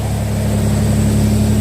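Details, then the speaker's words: Toyota 4Runner after new ignition coils fixing P0300 misfire; recorded outside, deep even exhaust drone at smooth steady pitch with no stumbles or popping; firing cleanly on all cylinders. "oh yeah that really helped it helped I can't believe it"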